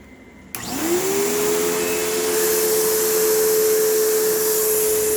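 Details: Kenmore PowerPath vacuum, secondhand, needing belt and brush roll service: motor spins up quickly to steady high whine over rough airy rush, long wind-down; owner thinks motor doesn't sound healthiest, may need teardown; rough-sounding motor.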